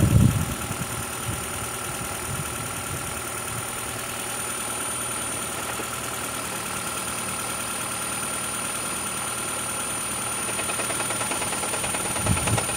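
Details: Engine idling during oil pressure test on a 2012 Toyota Prius 2ZR-FXE: a faint, even ticking knock over the engine hum. Pressure reading reaches 60 and then drops slightly. Knock cause not yet pinned down.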